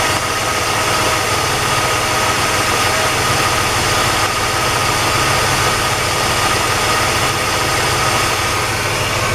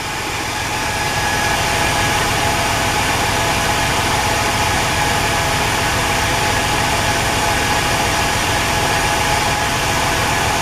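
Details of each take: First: Car engine after a Gumout oil treatment for driver's-side lifter ticking, idling: steady, even hum with no ticking or tapping; lifters quiet, oil pressure a little over 60, runs smoothly. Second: Engine idling after Gumout and transmission fluid were added to the oil, which is still a little low: light quick tick about three or four per second from the driver's side; suspected noisy lifters; engine ticking at idle.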